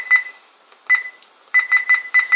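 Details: Toshiba Satellite P745-S4320 laptop that also drops wifi and changes volume on its own: short high beeps, single ones then quick runs of three; repeated beeping, cause unknown.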